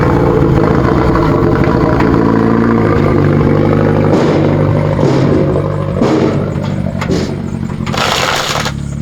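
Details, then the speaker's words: Nissan Silvia S13 started after years sitting, possible head gasket water leak: loud raspy uneven running with sharp rev blips and booming drone; no muffler fitted. "I'm keen to hear it start. Oh, it sounds like ass right now."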